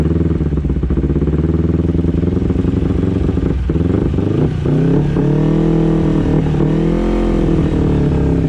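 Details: 2011 Kawasaki Ninja 250 with carburetors cleaned and adjusted, not fully warmed: buzz rises with the throttle, then hangs high and sinks back very slowly instead of dropping to idle. Hanging idle, sometimes stalls.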